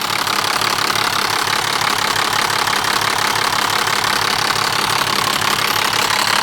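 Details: BMW E60 with M57 diesel at idle: constant metallic chatter sits above the diesel clatter without fading; a noisy timing chain.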